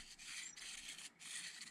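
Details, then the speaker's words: Arrma Vorteks RC truck gearbox, during reassembly after packing parts with grease, turned by hand: dry, scratchy rasping bursts, gear not meshing cleanly. Gear grinding; cause unknown, owner suspects something missing and that it caused earlier noise. "Why did that feel like it was grinding? That's odd."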